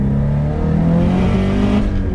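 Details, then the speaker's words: Subaru STI, about 500 hp, at full throttle in second gear: the boxer drone stumbles unevenly, logging 23 misfire counts on cylinder 2, sounding like no spark; a burnt valve or spark breakup is suspected. Single-cylinder misfire under boost. "There it is. That was a misfire? Yeah, 23 misfire counts on cylinder 2. We'll do it again. Yeah, I can hear it now. It sounds like it's like no spark whatsoever."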